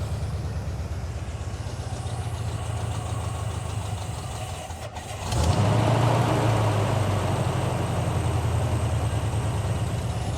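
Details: 1978 Jeep CJ5 with 304 V8 and 4-speed manual, restarted after years in storage, only briefly run: lumpy idle runs steady, then climbs to a higher, louder speed by itself and stays up without throttle.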